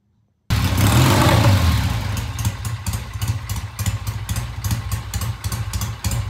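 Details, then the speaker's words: Vintage Triumph TR6 single-carb motorcycle, started after about a dozen kicks once the clogged pilot jet was cleaned. Fires, revs, then settles into a steady, even idle thump at about three to four beats a second; slight stumble coming off idle. "we got it started it's idling now sounds [Music] good good by the [Music] way a little stumble coming off of idle that actually sounds really [Music] nice"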